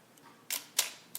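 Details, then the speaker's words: Olympus OM-2n 35mm film SLR in manual mode at 1/4 s: two crisp clicks about a quarter second apart as the shutter opens and closes. The slow speed times correctly; normal shutter operation. "If I put it in manual, the 15th should sound like this. And the quarter should sound like this."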